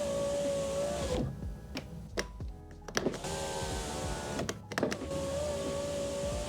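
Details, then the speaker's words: 2004 Mercedes S-Class W220 door after new door lock assembly install: even window motor whine, cuts out with a few clicks at the top, then resumes; holding up about 3 seconds clicks off to calibrate; normal power window operation. "there we go so once it gets to the top hold it about 3 seconds you'll hear it click off and that'll be calibrated up top"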